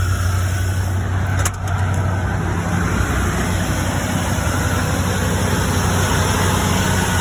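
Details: 1975 Ford E100 van V8, freshly revived and running on a fuel pump gravity-fed by a small hose: deep, steady, even idle with no misses or knocks. It runs healthy, though wiring problems remain and possibly the voltage regulator or alternator.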